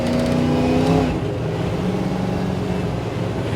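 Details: 1968 Chevy truck LS swap (5.3, Turbo 400 automatic, 600-lift cam) during a speed-density tune on a drive: revs climb and hold far too long before dropping at the shift; delayed upshift, cause unconfirmed, vacuum leak to be checked.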